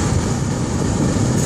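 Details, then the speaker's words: Dodge 3500 van RV dash AC blower after being refitted, stepped up through its speeds toward full blast. Strong, steady air rush with no squeal, ticking or rattle; blowing cold, healthy and quiet. "Feel a little bit of air. No noise this time. Going to move it up. Air. No noise."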